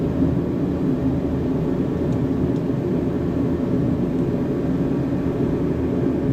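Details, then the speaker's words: Diesel heater, exhaust checked clear, set low: steady, even low roar with no sputtering or surging; burning cleanly and running normally. "oh, there comes my heater on now. It's a big roar. I got it kind of low here."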